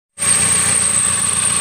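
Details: Toyota Avanza Dual VVT-i: a rough noise at the front of the engine when running, a thin high squeal and rough hiss over the idle from a dry fan belt and dry tensioner bearing, checked pulley by pulley with a stethoscope.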